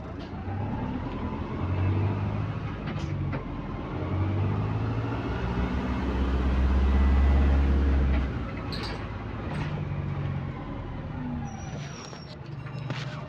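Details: AL HV41 diesel bus on route 335 to North Greenwich: deep drone under load with a raspy chuffing that follows the revs, then easing to idle; exhaust leak.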